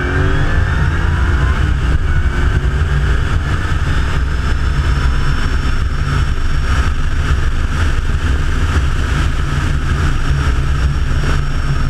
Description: Super charger whining pretty good.